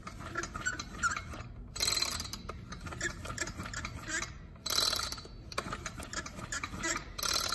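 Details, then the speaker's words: Small two-stroke engine pulled over by hand; three scratchy high squeaks, rod knocking, no compression; burnt up inside. "the rods knocking like crazy listen to this thing i may just listen to this thing it squeaks when you pull it through"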